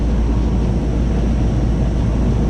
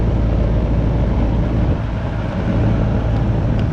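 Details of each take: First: Goodman AC condenser after 45/5 MFD capacitor replacement and coil washing, pressures stabilized, checking heat and cooling: loud, steady low rumble with even fan rush, no knocking, rattling or cycling. Normal running. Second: Goodman AC unit the customer says isn't cooling: only the steady fan whoosh and hum, no compressor drone; the compressor isn't starting because the 45/5 MFD run capacitor has failed.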